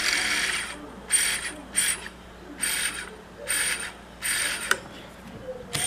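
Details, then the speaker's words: Webcor EP 2104 tape recorder rewind: whirring bursts start and stop about once a second as reels spin and cut out; a switch isn't making good connection, works when pressed down, fixable with pliers. "well there's a switch over here it's not making a good connection but when I press this down"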